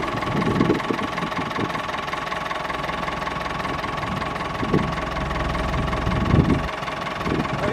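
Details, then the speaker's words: Howard 80 rotovator, first start after repairs (new main rotor seal, repaired bearing carrier, hinges and height adjusters): small single-cylinder engine running steadily with occasional low thumps, no knock or rattle; healthy. "i'm just going to fire it up now for the first time the seat does actually rotate so here we go"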